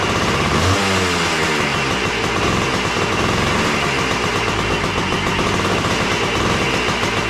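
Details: Yamaha AT3 two-stroke, kick-started after the ignition coil was replaced, fed from a hose of gas. It previously died after 20–30 seconds. Now it has a loud, steady crackle, holding an even idle for several seconds without dying, and runs normally.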